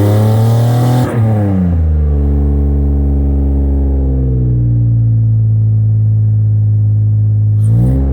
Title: v6 TL running on 3 cylinders cuz of bad injectors